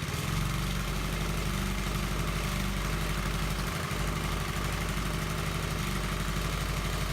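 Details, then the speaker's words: Briggs and Stratton engine on Gilson tiller, fresh oil, started on choke: starts easily, runs steady and even with no misses, knocks or hunting; normal running. "that was a pretty happy starts give it one more try here good enough to choke it now"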